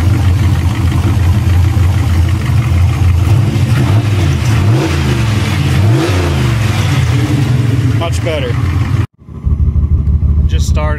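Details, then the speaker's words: V8 with Holley Dominator EFI, no injector pulse on cylinders 1, 3, 2 and 4: lumpy, uneven low idle with heavy stumbling and dropouts, running on about half its cylinders; suspected multi-cylinder misfire. "sounds like it's on this wrong about half the sellers"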